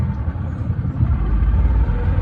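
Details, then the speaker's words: Previously sunk boat's outboard on first lake run after rewiring: low, uneven rumble that stumbles and sputters; owner suspects bad gas from the smell. "Sounds like she's sputtering a little bit."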